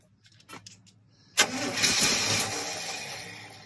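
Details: Free abandoned motorhome, first start attempt after long sitting, on starting fluid: silence, then a sudden catch that fires briefly and dies within two seconds. No fuel pump heard and it needs gasoline; no fuel delivery suspected, unconfirmed.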